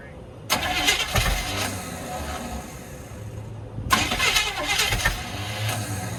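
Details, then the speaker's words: 1969 Chevy C10 truck, bought sight unseen: two labored cranking bursts that never catch; slow cranking, no start, starter suspected as needing replacement, exhaust largely gone, fuel delivery needs rigging. "yeah all right we definitely need a starter sounds like our exhaust is basically gone too"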